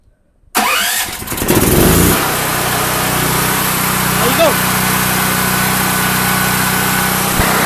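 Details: Predator 8750 dual-fuel generator on propane through a Tonco dual-fuel carb and 1 lb low-pressure regulator: starter pull, then it catches and settles into an even, steady drone with no hunting or surging and no pressure adjustment needed; healthy propane running.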